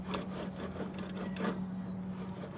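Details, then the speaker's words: Toyota Hilux 5L diesel, engine running, noise traced with a listening rod: a dry, gritty, rough rasp over a faint hum at the alternator. The owner suspects the alternator bearings. "the bearings in the sky you can hear a bit of a clucking noise and near so it is potentially the alternator"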